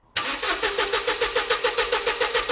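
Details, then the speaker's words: Classic Mercedes SLK cranking but not starting: steady starter churning about five to six beats a second with no firing; 12 volts at the fuse but none at the fuel pump terminals while cranking, suspected wiring break or relay fault. "We've got obviously we've got 12 volts at the front of the car. We've got 12 volts at the fuse, but we've got no voltage at the fuel pump."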